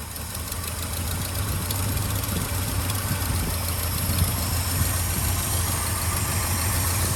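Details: 1967 Ford F-350 Custom V8 that sat about 10 years, running on its old uncleaned ignition points: catches and holds a rough, slightly uneven but continuous low idle; normal idle. Carburetor accelerator pump diaphragm leaking badly.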